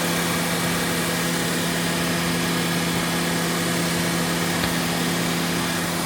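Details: 2014 Honda Odyssey, 202,000 miles, after water pump and timing belt replacement, started before test drive: smooth even idle with steady low hum and whine, no knocks or misses; running cleanly.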